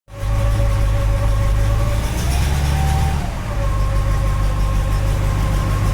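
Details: 1967 Cadillac DeVille, 429 V8, new strange noise at cold start: deep idle rumble with thin steady whine on top, seems to go away once warm; cause unknown.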